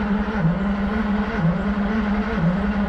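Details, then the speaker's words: 1972 Ferrari 365 GTC/4 non-runner, ignition on and fuel pump running: steady, even cranking about one beat a second for three seconds with no firing; mechanic suspects no spark, unconfirmed, fuel also to be checked. "and it just doesn't feel like it has any spark like there's no ignition whatsoever"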